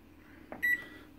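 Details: Samsung microwave that buzzed and ran while off, after replacing a defective circuit board: soft click then one short clean high beep, no buzzing or humming; powers up normally, fixed.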